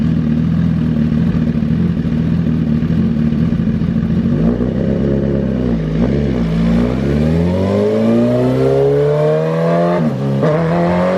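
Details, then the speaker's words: 2008 Suzuki GSX-R1000 on dyno, fuel pressure under 40 PSI even at idle: revs rise, then falter and sag twice under load as fuel pressure drops and it goes lean, power curve falling off. Failing fuel pump starving the engine. "notice as we rolled into the throttle everything was okay but notice when we started to lose the pressure and this is what happens when we lose that pressure we're going lean"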